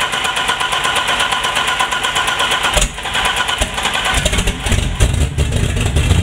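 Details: Turbo BMW E30 on 30 lb injectors and a WAR chip turbo base tune, running extremely rich with a constant check-engine light, plugs already replaced: it catches and runs lumpy, must be held near 2,000 rpm or it dies. Hard start and stalling at idle, cause unconfirmed.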